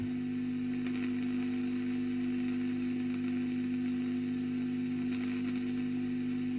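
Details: 1965 WEM Custom 15 valve guitar amplifier, badly serviced, drawing about 300 mA: constant low hum under faint hiss and crackle; background hum remains, cause unknown, plate resistors next.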